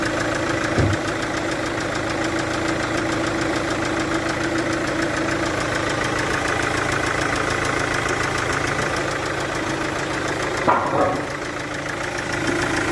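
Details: Chevrolet VCDi diesel at idle: fast uneven ticking and puffing chuff over the clatter, about three per second; cylinder compression leaking past an injector seal.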